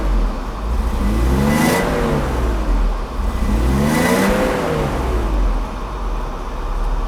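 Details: 1989 Mercedes W124 300CE-12 after fuel distributor overhaul, all injectors and the rear fuel pump replaced: two clean rev blips rise and fall smoothly with no misfire, stumble or rattle; engine pulls up and settles back evenly.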